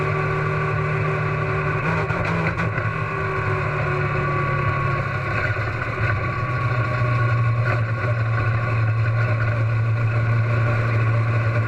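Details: Race car engine at Huntsville Speedway: loud steady drone with a couple of brief stumbles and breaks in tone; intermittent engine misfire, cause not evident.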